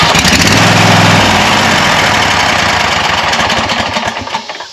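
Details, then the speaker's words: Wright Stander ZK61 with Kawasaki FX850V twin after starter replacement, hot after a mowing test run: strong, even chatter, cranks and catches cleanly, settles without misfires; normal start and run. "crank and fires up real good"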